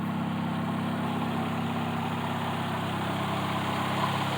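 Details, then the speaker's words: 1995 Honda Prelude SE with new NGK wires and distributor cap: smooth even idle with steady low purr, no ticking or misses; clean, healthy engine. "look at the engine and here how she purrs very nicely no ticking it's really a super clean running engine"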